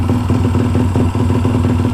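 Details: Motorcycle with 34mm carburetor being tuned, earlier bogged when cruising, possibly slightly flooded: lumpy, uneven low-rev firing with loose clattery edge; running rough, not yet cleaned up. Cause suspected, not confirmed.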